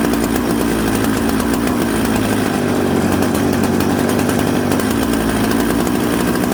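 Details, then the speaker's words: Chainsaw built from Husqvarna 266 and Jonsered 630 parts: steady buzzy two-stroke idle with a soft uneven burble off idle and smoky running; rich low-speed mixture. "so you hear how smoky it had a little bit of a bumble off idle so what i did was i turned the low jet in the low jet is usually the one closest to the cylinder almost"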